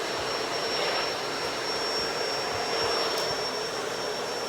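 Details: Shark Duo Clean vacuum after fixing a stuck brush roller (red brush-roll light) by clearing and reseating it: even, steady motor roar with a thin high whine, no rubbing or knocking; sounds healthy.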